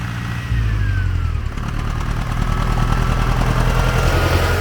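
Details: Soviet T-40AM diesel tractor at low idle after driving, cold day about -14 °C: rough puffing pulse about three per second from the intake side as the air cleaner chuffs.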